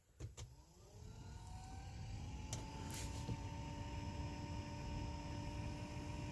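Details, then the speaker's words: 2011 Toyota Sienna HVAC blower after fitting a new cheap replacement motor: thin, annoying higher-pitch whine rising as the fan spins up, over soft rushing air; noisy aftermarket blower motor, likely to be returned. "so I could hear a motor sound it's kind of annoying it's like this higher pitch motor sound let's turn on the way to max that doesn't sound right"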